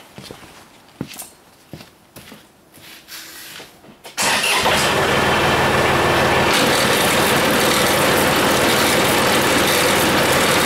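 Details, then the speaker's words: John Deere front-mounted sweeper after servicing, steady even mechanical drone with no knocks or grinding; at first slightly tight, then running normally. "sounds a little tight baby that sounds better there we go"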